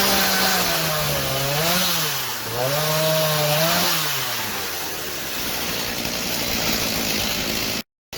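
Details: 2003 Stihl MS 290 Farm Boss 56.5cc two-stroke chainsaw, revived after cleaning clutch and air housing, cutting an old Christmas tree: high buzzy note sags and recovers as chain bites, holds revs well; normal running under cutting load.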